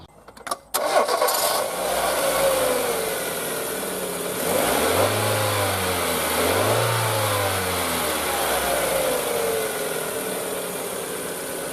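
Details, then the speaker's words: Project car after cleaning sludge from the throttle body and lubricating the sticky throttle return spring; cam and accessory belts recently done. Cranks, catches cleanly, smooth idle, two quick free revs; more responsive, running healthy. "sounds better and it's a lot more responsive now"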